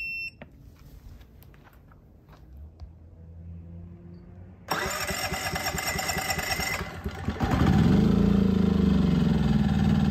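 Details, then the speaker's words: EcoFlow Smart generator converted with a propane tri-fuel kit, long primed line: cranks, catches briefly and labours unevenly without staying running; too lean, so the regulator is opened one more turn to four turns. "all right well that doesn't seem like enough so I'm going to go ahead and open this up and do one turn and I'm not going to cut away too much but we'll go to four turns now just to give it a little bit more fuel"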